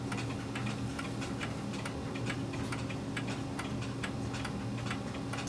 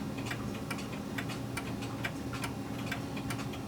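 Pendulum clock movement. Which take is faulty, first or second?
second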